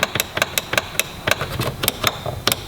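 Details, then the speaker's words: Nissan Cube power window not moving after reassembly: quick dry clicks about five a second, no motor hum; owner suspects low voltage from a dying battery, with the window stuck a while, not confirmed. "Terrible news, it didn't work. No! No! 2 window motors? No way."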